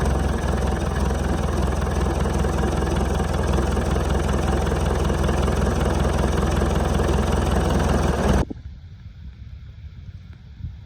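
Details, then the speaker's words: Land Rover Defender 110 200Tdi diesel, started during a service after fuel filter change while bleeding fuel with the lift pump primer, which may be faulty: even diesel clatter at steady idle, no hunting or misfire, running okay, then shuts off cleanly. "What's taking forever, so I have started the engine. It seems to be running okay at the moment. We'll just leave it running a minute."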